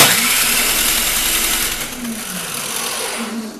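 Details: Snow blower, owner testing for spark: one long pull spins freely with a fading whir and no firing or compression beats. Cranks but won't start; owner doubts the spark plug is the cause.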